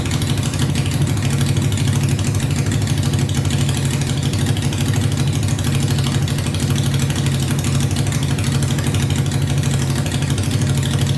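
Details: Honda 500cc engine swapped into a tractor, first run after a carb clean, wiring repair, fresh gas and spark on all 4 plugs (coolant not yet added): extremely loud, body-shaking, steady, even low putter that never stumbles or hunts; idles perfectly.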